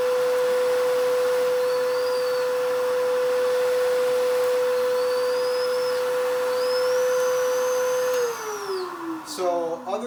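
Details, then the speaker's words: Vacuum cleaner with brush roll off, nozzle moving over rug edge: steady high motor hum holds pitch with light rug squeaks, then winds down at switch-off; no change in motor sound under load. "there's really no difference in sound in this there's no real difference"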